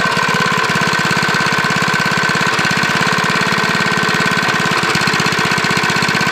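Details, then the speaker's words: Briggs lawnmower engine running with no blade, its crankshaft rod journal repaired with JB Weld epoxy: steady running with a light, regular mild rod knock on each firing stroke. "That sounds like a little rod knock"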